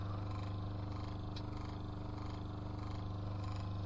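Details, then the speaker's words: Motor from a small Adler washing machine that hummed but didn't work, bench-tested on 239 V drawing 0.7 A: steady even hum with no knocks or wobble; runs normally. "зараз я його включу в розетку І спробуєм що він в нас запаёт заспіває крутиться нормально по приборам бере 0,7 07 ампе в се 230 9 в 0 7 А ну"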